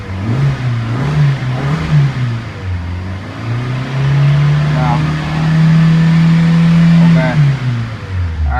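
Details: Hyundai petrol engine after misfire repair revs up and holds a steady, even hum with no stumbles or missed beats.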